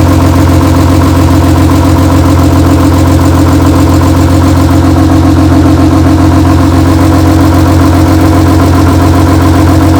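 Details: BMW E36 race car, rebuilt M52B28 inline-six, first start after the rebuild with a replacement used wiring harness: smooth, even idle with a steady low hum and no knocks or misses. Running cleanly, though not yet tested under load.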